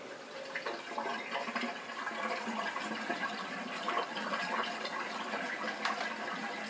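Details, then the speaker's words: Bosch dishwasher SHE4AP02UC/06 with 4-5 liters in the sump, after repositioning a small part near the drain pump; steady even rush of water pumped out without stalling; drains properly; owner suspects the part seals around the pump. "so success somehow the positioning of this little part either makes the dishwasher run properly or makes it completely fail at pumping out water"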